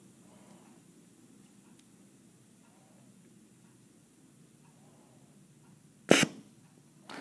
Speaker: depending upon the size of the actuator will determine how long it takes to do your calibration you'll hear some popping and hissing